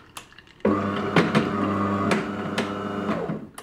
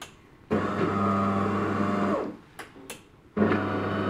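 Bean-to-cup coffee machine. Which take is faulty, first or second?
first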